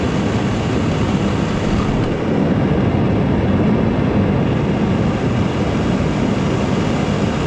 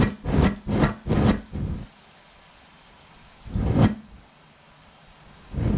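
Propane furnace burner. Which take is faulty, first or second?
second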